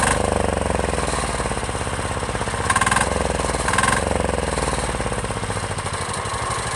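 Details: Chinese 10 hp Yanmar-clone single-cylinder diesel on its first start, freshly mounted to a frame, idling with a steady clatter of about three and a half beats a second and no misses; runs smoky but smooth and healthy, though it vibrates the rear fenders.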